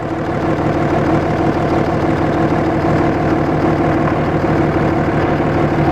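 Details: Cummins 5.9 24-valve diesel in a Dodge with a bad injector not caught in time: loud steady idle with rough, uneven chuff and heavy breathing; major crankcase blow-by.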